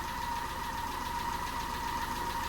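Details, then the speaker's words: Peugeot 207 engine idling after a snapped timing belt, head gasket rebuild and new timing belt; fast even light tapping over steady idle, a bit knocky, owner suspects tappets need more adjustment, unconfirmed. "but I think it might need a little bit more adjustment on those taets really I"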